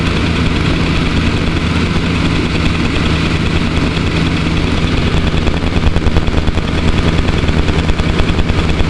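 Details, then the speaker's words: Rolls-Royce that stalls once hot, new coil wire and Taylor 150 ohm 8mm plug wires, warmed up, in park: steady smooth idle, even low rumble but a bit high; drops a couple hundred RPM in gear. "Now that idle seems a bit high, but whenever you put it into gear, it lowers it, drops it down a couple hundred RPM, and it settles in nice. Right now we're just in park."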